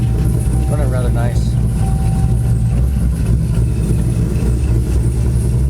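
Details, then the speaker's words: Chevrolet Corvette C6 V8 after lifter replacement, warmed up: deep, even rumble with no lifter tick or tap; engine running clean and healthy. "nice yeah yeah car's running good"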